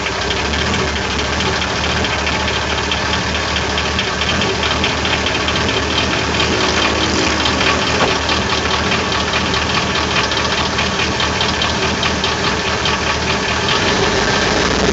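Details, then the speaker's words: GM 6.0L Vortec V8 truck with known piston slap, idling after sitting half an hour with 8 oz of SeaFoam added; steady dull knock about two to three raps a second under the exhaust, cause suspected piston slap, not confirmed. "it's got the uh GM piston slap in the 6o it's probably not going to run too well cuz I put quite a bit in there"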